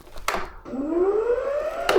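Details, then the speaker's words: Ego electric mower, 4 years old, with an intermittent no-blade fault, after soldering the wiring and checking the safety switch: the blade motor spins up with a smooth, steadily climbing whine, no grinding or stutter, and turns in different positions; normal blade motor run. "moment of truth does the blade turn yay i'll try a different position blade work yep gonna hang all the way down"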